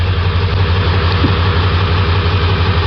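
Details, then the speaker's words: 1999 Ford 7.3 Powerstroke diesel, hard cold start, loping, black and white smoke; high-pressure oil and IPR verified good: lumpy uneven idle, one cylinder repeatedly falling flat; misfire from failed injector, cylinder contribution test next. "shakin pretty good we do have a misfire now it's time to go through some electrical and some mechanical diagnosis"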